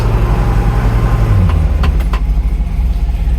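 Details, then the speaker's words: Classic Fiat 500, clutch held in while in gear or with a rev blip: a rough metallic clatter rising with revs that disappears out of gear or with the clutch released. Attributed to a worn pilot bush letting the input shaft wobble. "clutch back in as the Reps come down makes the awful noise again only with the clutch in pop it out a gear it goes away"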